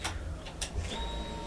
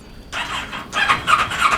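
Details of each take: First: Kawasaki Ninja 650 revived after being abandoned, after the tip-over sensor was moved around and the tank cleaned: a few light clicks at key-on, then a faint steady high hum for about a second as the fuel pump primes normally. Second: Kawasaki Ninja 650: high starter squeal with whirring crank that never fires; start button must be pressed hard and works inconsistently, so ignition switch suspected, though cause could be a variety of things; cranks but won't start.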